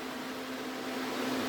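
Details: DA Integra electric radiator fan on new 30A relay controlled by factory OEM fan switch, engine not running (owner expects more output with alternator charging): steady even airy whoosh, faint hum, no surging or rattle; normal.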